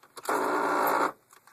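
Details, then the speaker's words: 2000 Hummer H1: short, harsh grinding burst under a second right after the ignition key is turned off, even without starting; the fuel pump and clock ticking are normal; cause unknown. "and then when I turn it off even without starting the truck it'll make a grinding noise"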